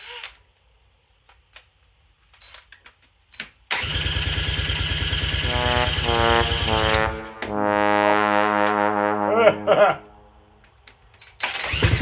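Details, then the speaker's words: Honda CL90 swap-meet find bored out to 150cc with a big piston, points cleaned, pan choke: small single fires up and pops along evenly, then blips cleanly with no knocks or rattles; normal idle. "woohoo what well guys that sounds great that thing sounded good now here comes the oil"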